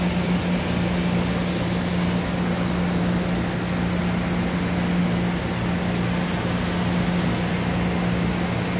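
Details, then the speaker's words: 2013 Doosan Puma MX1600ST CNC mill-turn lathe, Fanuc 31i-B5 control, spindle running: steady, even hum with a constant low tone, no knocks or grinding; normal spindle run. "Got our sub. 1500. Sub at 15. Looks and sounds good."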